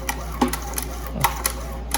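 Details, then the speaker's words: 1972 Evinrude Fisherman 6 hp outboard recoil starter with new Stens rope, after PTFE dry lube: light crisp ticks at uneven pull rhythm, no dragging or grinding; sounds much better, working smoothly. "There we go. One handy dandy tool there. Oh, that sounds so much better."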